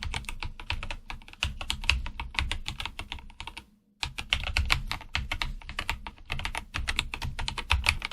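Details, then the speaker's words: IQUNIX OG80 mechanical keyboard typing sounds compared before and after lubricating the switches: soft, even clacks with a muted low thock and no scratchy or pingy spring noise, an audible difference after lubrication. "so now you can hear what it was before and what it is after the lubrication at least you can hear a difference"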